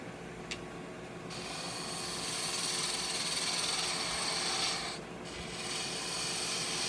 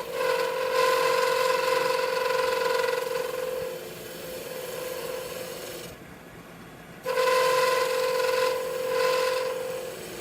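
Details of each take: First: Wood lathe turning a scrap-wood bottle stopper cap, gouge cutting with tailstock still in place: even, airy shaving hiss with no chatter or catches; clean cut. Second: Wood lathe turning bottle stoppers: rough buzzing hum with steady ringing tone, tool chatter because the workpiece bolt wasn't pushed back into the chuck; seating it deeper against the jaws reduces shake.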